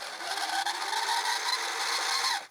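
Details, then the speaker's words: Panasonic PV-VS2841 S-VHS VCR (September 2003, 21 years old), on rewind: shrill screech climbing in pitch as the reels spin up; owner is 99% sure the take-up reel wheel is the source, likely dry reel gears. "there it is there's the noise now uh if I can talk over this horrible noise let's just let this rewind all the way I'm pretty sure I I'm 99% positive that it's this wheel here the takeup wheel"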